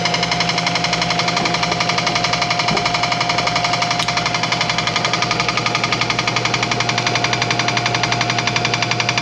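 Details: Old air compressor, reassembled after tank hydrotest: steady fast rhythmic clatter about three ticks a second over the pump hum; the clicking is just the check valve, nothing wrong with the pump, normal running.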